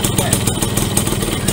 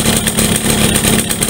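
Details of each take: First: Yamaha V75 72cc two-stroke after bore-up, piston fitted and clutch repair (complaint: no power, hard climbing, rough idle when hot): quick, even popping at a steady idle with no stumble or rattle, now fairly smooth, a normal idle. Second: Yamaha V75 two-stroke, hot, weak with poor idle and struggling on climbs: runs rough and uneven with a choppy, rattly beat instead of a clean buzz; suspected loose, worn piston and worn connecting rod, needing oversize rebore; rough running.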